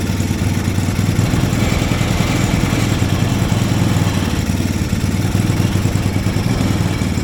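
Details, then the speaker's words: Mini Willys-style Jeep with small Chinese engine and new spark plug: chugs unevenly and stays running only on a little throttle; idle too low, carburetor not supplying enough fuel to idle. "let's try getting this guy in there choke out H appears we're not getting enough gas to idle"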